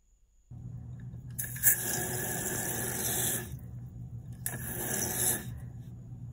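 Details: Kohler toilet after replacing a squeaky, slightly leaking Fluidmaster 400-series fill valve with a new Fluidmaster 385: tank refills with a steady rush of water and soft hiss, no squeal or squeak, no leak.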